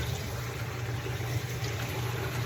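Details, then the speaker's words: Basement sump pump whose switch intermittently stops working and needs tapping, currently running: quiet steady low hum with water moving, no knocking or rattling; operating normally. "because what you can hear in the background is my sump pump, which is currently working,"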